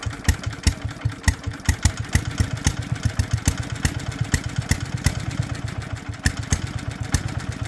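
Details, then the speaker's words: Small single-cylinder Locke mower engine with no leaks and a dry bowl, spark confirmed: it pops along at a loose, slightly uneven beat after starting and keeps running on its own; normal running. "okay check for spark we still have it and try to crank it again sounds promising"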